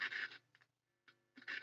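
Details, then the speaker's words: Rolls suitcase record player during restoration, volume turned right up: faint mains hum with bursts of gritty crackle and scratching each time the knob moves, a dirty, worn volume pot. "okay there you go oh scratchy volume control scratchy"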